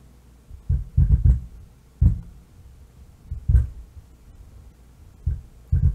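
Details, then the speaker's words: Miller & Kreisel MX-90 subwoofer amp, no input or speakers connected: irregular low thumps and crackly rumble in bursts even with level turned down; caused by defective bass level pot, fixed by replacement. "so let's go ahead and power it up and i do hear something it is making a low rumble almost like a crackling sound"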